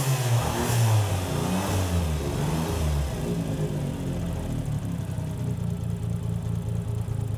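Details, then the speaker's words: Flat white Cappuccino that sat for years on a farm, first run after refitting the transmission with a new clutch kit and machined flywheel: uneven, lumpy idle with irregular revs that never settles; runs rough, cause not yet pinned down. "Well, it kind of runs."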